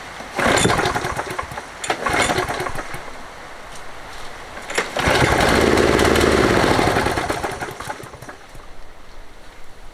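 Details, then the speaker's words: Toro 20789 mower with a Briggs Intek engine and a hot-restart problem, after a new fuel line, filter and spark plug: it catches after a couple of pulls, revs briefly, then fades and dies. Probably a carburettor problem. "Bon, c'est quand même étrange, ça fait exactement comme la première fois. La bougie a été remplacée pourtant. L'étincelle avait l'air belle. Donc sûrement le carburateur."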